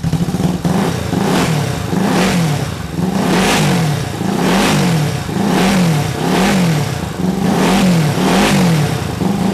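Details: 1968 Honda CL450 twin after starter clutch repair, started on the electric starter: revs up and settles back about every second, pulling cleanly and evenly with no knocks or misses.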